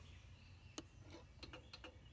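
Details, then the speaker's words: RV automatic entry step that won't extend or retract. When a magnet is held at the door sensor, a few faint irregular clicks are heard: the step motor is powered but not turning. Owner suspects dirt in the step mechanism. "I suspect that that mechanism has got dirt in it and that's what's keeping the step from extending and retracting because we could hear the motor clicking like it's trying to engage one that put the magnet in front so"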